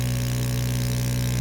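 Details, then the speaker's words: VAP02 3D mini vacuum heat press sublimation machine, vacuum started with the air hose attached to the ceramic plate: steady low even hum with no knocks or squeals; vacuum pump running normally. "Attach the other air hose to the ceramic plate Now start the vacuum of the machine."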